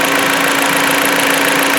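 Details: 2016 Jeep Patriot 2.0L inline-4 that had misfires and a check engine light, after a Piston Clean carbon cleaning, warmed up: steady, even idle hum with no knocks, stumbles or misses. It sounds healthy.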